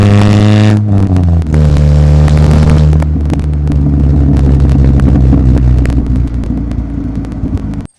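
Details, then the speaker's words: Dodge Neon with exhaust fully welded underneath, no muffler, mic at the exhaust: deep, throaty note rising and falling as revved then settling, even with no rattles or leaks; normal exhaust note, sounds much better now. "well I'm happy with that sounds a lot better now"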